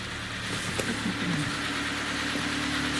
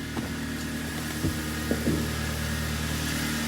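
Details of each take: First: Kia Cerato G4FC engine with heavy oil consumption and a broken catalytic converter, heard running from outside before teardown. Rough idle with irregular dull knocking that points to bearing knock from running low on oil. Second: Kia Cerato TD G4FC engine after rebuild for heavy oil consumption, strong knocking and a disintegrated catalytic converter: steady, even low idle hum with no knocking or ticking over a quiet shop background. Normal idle.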